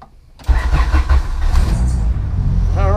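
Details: 1998-spec Integra Type R Honda B-series VTEC engine after valve stem seal and lost motion assembly replacement, distributor now plugged in: short crank, catches at once, steady even idle with no misses; normal start.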